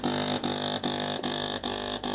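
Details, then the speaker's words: De'Longhi PrimaDonna Elite Exclusive espresso machine, used, no water flowing: harsh buzzing drone cut by short gaps about every 0.4 seconds while heating runs; air in the circuit, pump not delivering water. Solenoid valve or flow meter suspected, not confirmed. "I'm trying to pump but don't pump you can see the heating is in progress but there's air in it so let's see what's going on here well, the pump is not pumping"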